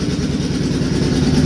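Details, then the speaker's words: Warm Suzuki Boulevard C50 V-twin after a new fuel injector and Cobra FI2000 fuel controller install: even loping idle with light quick valve ticking on each beat, starting once warm; normal valve noise, healthy engine. "yeah they're starting to kick now once she warms up that's normal though you don't you don't want to have quiet valves loud valves are happy valves on these [Music] bikes i think it sounds awesome"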